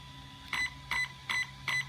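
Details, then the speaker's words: HW EZRUN SC8 RTR 120A brushless ESC (JLB Cheetah) in programming mode without a program card, low-voltage cutoff setting: four crisp high beeps about 0.4 s apart indicating column four; one more button press moves to column five (3.2 V). "it's making four beeps indicating that it's in column four"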